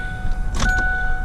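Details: 2000 Ford Ranger with newly replaced fuel pump, key-on prime: brief whir with steady tones underneath, no grinding or straining; pump primes normally after repair.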